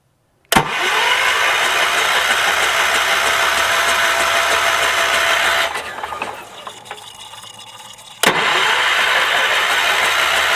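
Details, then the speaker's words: 1978 Wheel Horse C-121 garden tractor: starter spins engine evenly about five seconds, pauses, cranks again with no firing; owner suspects a coil/ignition fault. "Let's give the key a good old turn. That is not doing anything. That is troublesome."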